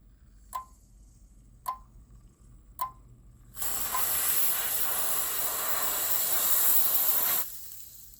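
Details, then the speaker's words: Auger electron spectrometer analyzer control board, component R15 heated with heat gun: relay clicks about once a second as supplies and high voltage oscillate, then loud cool-spray hiss and clicking stops as supply stabilizes. "now it's failing you hear that clicking that's the relay that's clicking find supplies oscillating quite a bit high voltage is oscillating quite a bit"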